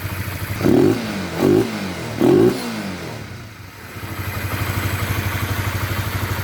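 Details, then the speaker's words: Honda CBR150 LED motorcycle just after cylinder head/block reassembly: three throttle blips, then a settled, even idle with faint intake hiss because the air filter is not yet installed. Smooth, healthy running. "Nah, udah nyala ya, Teman-teman. Suaranya halus tenan. Ini suaranya halus. Langsamnya juga bagus."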